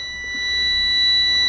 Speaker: I do have this on a mode where it'll beep at you if it finds continuity. So my test leads will beep like that if it finds continuity, and it will tell me on the screen what it is.